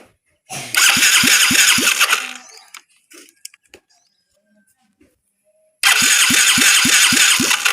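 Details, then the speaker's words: Yamaha Mio J injection scooter cranking in two starter bursts at about four pulses a second, no firing and no ignition spark though the fuel pump hums. The pulser signal check fails, and the pulser is found rusted. "Baik, kita akan cek pulsernya dulu. Kalau rusak kita ganti. Siapa tahu cuma pulser-nya aja yang yang rusak."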